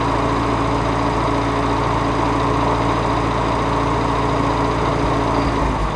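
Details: Farmall Cub tractor started after repairing the broken exhaust pipe snapped off in the manifold: even steady putter with consistent beat and no puffing or ticking at the manifold; runs smoothly.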